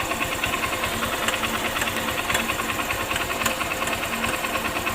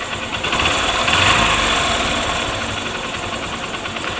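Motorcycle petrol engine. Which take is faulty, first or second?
first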